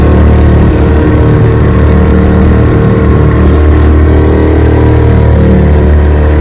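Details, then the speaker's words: Restored 1948 Johnson TD20 5 hp outboard on a lake, pushing a boat about 8–10 mph, opened to wide-open throttle: strong, steady deep drone with no misses, knocks or surging; running cleanly. "Let's open her up, see what she can do. Here she goes."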